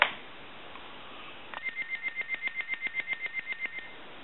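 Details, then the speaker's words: Harris TS22 lineman's buttset, amplification off: quick, clean high-pitched piezo buzzer ringing about eight beeps a second for two seconds; the buzzer rings normally with amp on or off. "we'll call it the the line phone the lineman's phone and you're going to hear this piso buzzer [Applause] ring that's if you have the amplification"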